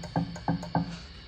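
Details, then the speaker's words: National HRO-500 receiver with its HF oscillator at 9 MHz, unlocked, heard on an SDR in narrowband FM: light straw taps on the tuning capacitor cause ringing thuds, so the oscillator is extremely microphonic and may need tightening. "what's worse is I just take a straw and just tap this capacitor here and you can hear how bad that is so this capacitor is extremely microphonic"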